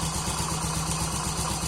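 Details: Honda Pop 100 idling: fast, regular metallic 'teco teco' tapping on each firing beat from the engine; cover removed confirms an overly slack cam timing chain hitting at the top.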